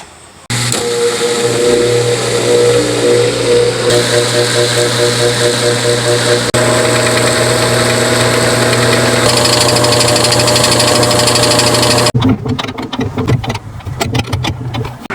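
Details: GE washing machine running uncovered gives a loud strained droning hum with rough rattle and irregular clunks: the shipping rod was left installed and must be removed.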